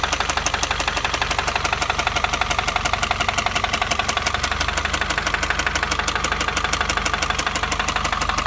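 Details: 2015 Subaru WRX: sharp, regular metallic knocking, roughly three per second, rides over the engine as throttle is added, seeming to come from inside the engine; a deep internal knock, cause unconfirmed.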